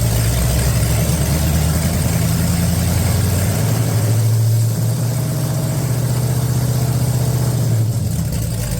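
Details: 1969 Plymouth Road Runner engine swap (1969 383 HP big-block), first start in 10 years after priming the oil pump: big V8 settles into a steady, even low rumble with no knocks or ticks, running clean; normal idle.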